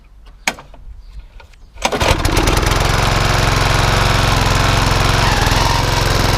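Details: Walk-behind mower after a tight cable and belt were slackened: dead-man's handle held, a few pull-cord tugs, then it catches and settles into a steady, even single-cylinder chug. It runs normally and the cable problem is identified but not fully fixed.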